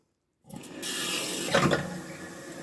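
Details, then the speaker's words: Toilet cistern refilling after replacing the broken syphon diaphragm that stopped it flushing, water turned back on slowly at the valve. A steady hiss as water rushes into the tank, with no gurgling or dripping; it fills with no leaks, a normal refill. "And the water's coming in through there, which is nice. So that's now full of water. It's filled up and we haven't got any leaks."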